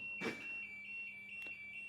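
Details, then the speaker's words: Washing machine: drain motor runs fine, but on moving to spin the machine shuts itself off, E2 shows on the display and everything hangs; a steady high-pitched beep pulses a few times a second, E2 error alarm. "সম্মানিত viewers, আপনারা দেখতে পাচ্ছেন মেশিনটিতে E2 লেখা উঠে সকল কার্যক্রম বন্ধ হয়ে গেছে বা হ্যাং করে দাঁড়িয়ে"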